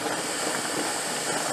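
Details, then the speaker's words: Mirro pressure canner, first-time canning raw-pack corn, before it seals: steady airy hiss of steam venting by the handle, no rumble or pulsing; normal venting, 10-minute vent timing begins. "before it seals you'll be able to see some steam coming out by the handle and now i don't know if you can see it yeah i should be able to see it it started venting so now we have to time 10 minutes"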